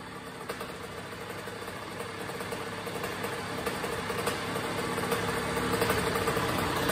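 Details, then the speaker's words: 2001 Honda CR80 two-stroke after fixing the loose motor and pipe that caused knocking, plus a tune-up: a low, steady, even idle with no knocking, lower than the previously too-high idle. "nice low idle it's not too high like it was before you know what I'm saying"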